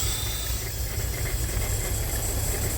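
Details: 2007 Audi TT six-cylinder at idle after front-end crash repair, with a high-pitched squeal others blamed on the fan belt: steady airy hiss of crankcase vacuum sucking through a torn PCV valve diaphragm, only at idle; PCV diaphragm failure.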